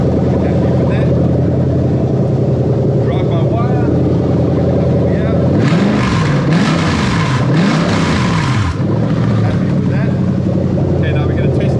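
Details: Toyota Crown 3UZ-FE VVT-i V8 with adapted plug-and-play harness for a Lexus IS200, 6-speed automatic, on test: smooth, even run with a clean blip up and back down a few times, no knocks or misses; engine healthy.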